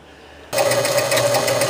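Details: 1976 Gottlieb Card Whiz pinball machine: score motor starts abruptly and runs on with a steady buzzing hum and fast ticking, never stopping to reset; no burn marks seen, owner suspects dirty contacts needing cleaning.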